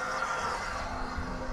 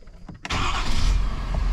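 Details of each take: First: 2021 Ford F250 6.7 Powerstroke after a fuel filter change, key on with the engine off during priming cycles: a steady whirring hum with a rough, uneven buzz as the lift pump purges air from the system. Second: 2021 Ford F-250 6.7 Powerstroke diesel after fuel filter change and priming cycles purged air: quick crank, catches cleanly and settles into a steady, even diesel idle clatter; no misses or odd noises.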